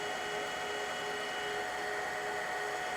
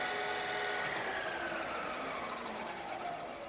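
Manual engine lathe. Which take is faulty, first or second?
second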